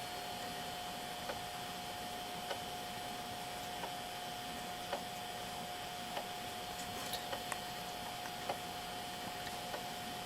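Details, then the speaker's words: JVC VHS-C camcorder playback after reseating a take-up belt that had slipped off its pulley and was eating tapes: faint, soft clicks about once a second over steady tape hiss and a thin high tone; tapes no longer eaten, owner hopes clicking fades. "You can hear that clicking in the playback, so I'm really hoping that goes away completely."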